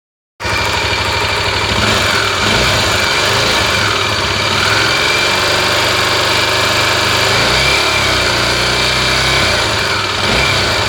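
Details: Tornado engine at hot idle: a busy, uneven ticking clatter over a bright hiss, noisy once warm; abnormal engine noise, cause unclear.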